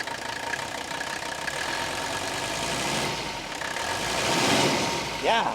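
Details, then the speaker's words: 1984 Mercedes-Benz 300D diesel, 250,000 miles, very little blow-by; even, steady idle clatter with no knocks or misses standing out, sounds really good, healthy idle. "love that. Really sounds good."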